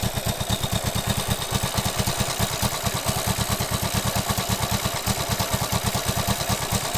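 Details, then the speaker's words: 1967 Honda CB77 Super Hawk twin after rebuild and cylinder head gasket oil leak repair, assembly lube burning off: quick, fairly even exhaust pulses with light valve clatter; runs well but carbs need tuning; normal running. "sounds pretty good needs quite a bit more tuning"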